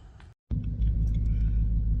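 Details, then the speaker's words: Chevy Caprice V8 idling with a deep, steady, even rumble after the exhaust leak was fixed and the injectors and fuel pump were replaced; the earlier popping is gone. "So, we fixed our uh exhaust leak. I found that, which is good. That's wonderful. So, that runs a whole lot better than what it did before."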